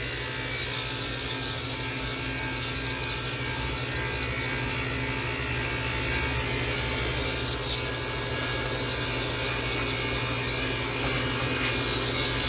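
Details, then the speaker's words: Walk-in freezer that is not cooling, with a dusty condenser coil: its compressor under a big load gives a loud, rough, steady mechanical clatter with a hard hum underneath; noisy and struggling. "Man, that compressor is noisy. She's under a load right now, big old load. She's not happy, but here we go."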